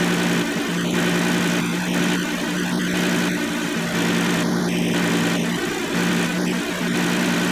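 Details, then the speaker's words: 2007 Kia Sedona 3.8L idling with newly installed AC compressor (old clutch windings shorted) switched on: steady, even low drone with no grinding, squeal or clutch chatter; AC compressor running normally. "So far so good. Everything's good there. Alright, now I'm going to click on the AC compressor."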